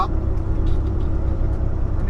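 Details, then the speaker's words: Truck cruising on Highway 401, heard from the cab after a fuel injector cleaner was added; steady low diesel drone under cab and road noise, even and unbroken; engine sounds good, normal running. "Bago ako sa truck ko ngayon, yung tunog niya naglagay lang ako ng fuel injector cleaner eh. Ganda."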